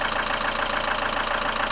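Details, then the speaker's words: 2001 Mitsubishi Lancer Cedia GDI 4WD whose hydraulic lifters have knocked hard since appearing about two weeks ago. Rapid, even metallic tapping rides over the idle; top-end valvetrain knock suspected, unconfirmed. "показать точнее вам как у стучат меня гидрокомпенсаторы жестко х сейчас покажу как они стучат"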